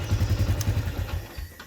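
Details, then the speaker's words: Yamaha Jupiter MX New 135 (2011 or 2012) throttle blip after CDI replacement, following complaints of severe hesitation on initial low throttle: quick, even firing that picks up cleanly and fades back smoothly with no bog, unlike the old CDI; normal throttle response. "CDI ini yang baru hasilnya seperti itu teman-teman ya. normal, tidak ada ngempos seperti yang CDI yang lama."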